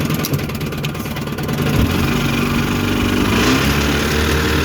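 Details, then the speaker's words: 1954 Evinrude Super Fastwin outboard, 24:1 ethanol-free gas and synthetic oil, after points cleaned and gapped: fires right up on the small-diameter rope starter and settles into a fairly steady two-stroke burble, firming as it warms; idling fine. "These are a little harder to pull with the small diameter starters. I had to get a little bit better angle on it there. But she fired right up."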